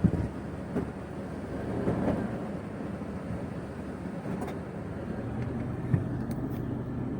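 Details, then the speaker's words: Toyota Prado 120 after replacing inner CV joint to cure knock when shifting automatic from D to R: steady low rumble, gears engage quietly with no clunk; smooth gear engagement, knocks gone after repair. "шумов никаких нету левая сторона только я осталась набрала все тихо-спокойно хорошо переключается"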